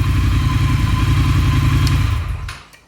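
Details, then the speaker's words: Triumph Thruxton R just after cat-delete X-pipe install, first start before warm-up auto-remap; strong crisp even exhaust pulses dying cleanly at shutoff, running well and sounding better than stock. "so let's see how she fires up okay it sounds like it's running pretty good [Music] definitely sounds better"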